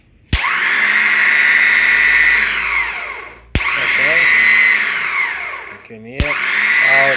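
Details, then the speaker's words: Alfa Romeo 147 starter motor after service, bench tested by bridging main post to small solenoid post; three sharp clacks then a high steady whine winding down smoothly; starter and solenoid working normally. "I'm gonna Bridge it from the main post to the small post you can hear the shutter is running"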